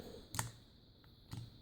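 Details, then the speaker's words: 2008 Concours 14 KIPASS ignition switch: two sharp clicks as the key is pressed down and the internal micro switch engages. The "turn key" icon often fails to appear, so the switch is faulty, with a bad contact or internal break suspected; replacement is planned. "This is what gives you the icon once this switch engages. So if this switch is bad, either a bad contact or if it's broken internally, that's what is supposed to give you the icon, and it doesn't."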